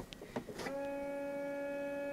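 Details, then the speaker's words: GAZ Gazelle windshield washer with new 12V 2.5 atm washer motor, ignition on: clicks then steady thin whining hum; the new pump runs but lacks power, spraying weakly. "видите как он льет к у этого новый новый движок у этого нового движка не хватает мощи"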